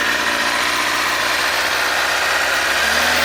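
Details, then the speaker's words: Carbureted 2007 Kawasaki ZZR600, 12,457 miles, cold start at about 40°F with the choke on: smooth, even idle creeping up as it warms, no knocks or misses; healthy. "So, that's it running. You'll hear the idle picking up as it warms up. Means you gotta pull the choke down, but we're not there yet."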